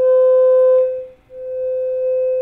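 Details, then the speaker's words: Old single-ended 3W valve reel-to-reel conversion amp into an external bookshelf speaker with signal generator test tone: steady tone with buzzy, edgy distortion and a dropout; possibly overdriven input signal. "you you can already hear some distortion in that"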